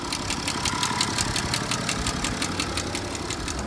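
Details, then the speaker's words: BMW diesel (535d/N57 engine per description) idling: sharp regular metallic rattle about three clicks a second, loudest from rear of engine; mechanic suspects timing chain area. Timing chain area rattle. "note 향에 엄 면에서 봤을 때도 소음이 확연하게 좀 나긴 해요 4 엔진의 뒷부분에 소음이 라고 생각이 있어요"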